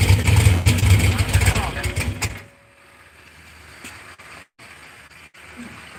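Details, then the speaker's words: Cadillac CTS-V first start on new engine: runs unevenly and loudly for two seconds then dies; owner wonders if it's a vacuum. "I wonder if it's a vacuum. What's up, dude? So what you think, man? Kind of making it run a little different, maybe."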